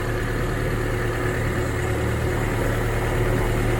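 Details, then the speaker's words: 1977.5 Toyota SR5 pickup with 20R engine, desmogged, driven in after sitting 7 years. It lights right off into a steady, even low-rumble idle with no knocks, misses or ticks; it purrs like a kitten. "Listen to that thing. It purrs like a kitten. And just absolutely lights right off."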